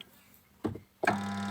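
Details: Samsung twin-tub washing machine spin tub: brief thump, then a loud steady hum with no speed build-up as the spin motor stalls; still humming after rewiring, so a capacitor swap is tried next.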